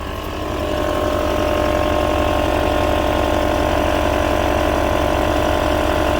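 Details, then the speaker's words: Audi Q7 just started after replacing the air suspension compressor and valve block: steady, even compressor drone over a smooth engine idle, holding constant as the front rises slowly; normal, healthy operation. "I can hear the compressor going. Yeah, front's going up nice and slowly."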